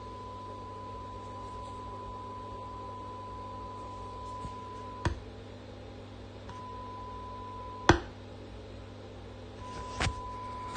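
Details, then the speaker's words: Brand-new 2023 Marshall 2203X JCM800 reissue amp head, modded, on the bench: a thin steady 1 kHz whistle over low mains hum from the power transformer, coming and going; not normal behaviour. "I noticed a hum a high pitched 1 khz hum coming from the power transformer"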